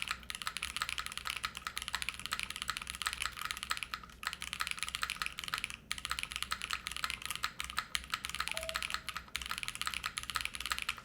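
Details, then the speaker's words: Spectacle60 keyboard kit with PC plate, GMK Future Funk keycaps and pre-lubed Kaisya switches, heard while typing. Quick, regular key clacks with a faint lingering ping; not muted, with slight metallic resonance, possibly from the thinner pre-production PCB. "this is definitely not muted this is a this is way more noisy than the envoy I wouldn't say it's Hollow I would say it has a little bit of metallic sound circuit from it"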